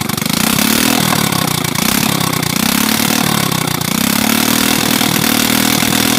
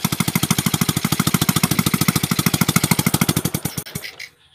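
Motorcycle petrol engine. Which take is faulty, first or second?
second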